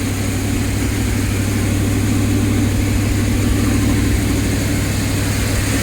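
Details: Audi R8 after a no-crank no-start fault was dealt with: smooth, constant idle with an even low beat and no stumbling, ticking or hunting; normal idle.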